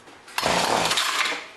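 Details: John Deere BC1600 two-stroke weed trimmer, Zama H46 carb, after sitting a couple of years, first start on premixed fuel: brief raspy burst about a second then dies; starts then stalls, carb to be removed again.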